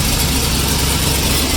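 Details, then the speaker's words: Turbo IROC idling cold after exhaust leak repairs: faint, quick ticking under a steady rumble from a remaining small exhaust leak on one side, much better than before, possibly needing a flex pipe. "You still hear a little bit. Hear that? Bastard. It's much better than it was before. It might quiet up once it gets warm."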